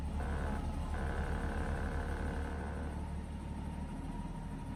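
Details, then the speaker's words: 1989 BMW E30 325i inline-six, cold start after sitting several days: on start it dipped and stuttered briefly, then steady idle about 600 rpm, smooth even hum with no misses or knocks; normal cold idle (the rough-idle fault shows only when warm). "so the RPM is relatively stable so that's good there was a little bit of a when I first started it it just dropped a little bit and did a bit of a stutter but so far so good"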